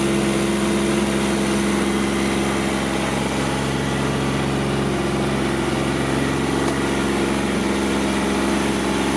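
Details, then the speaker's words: Kubota GR2110 mower, diesel, after topping up its low, hardened hydraulic fluid: steady even drone with a constant helicopter-like whirring from the shaft-driven mowing deck, hydraulic deck lift working; normal running with the deck engaged. "um and the mowing deck shaft driven you can hear it it sounds like it's like it's a helicopter about to take off"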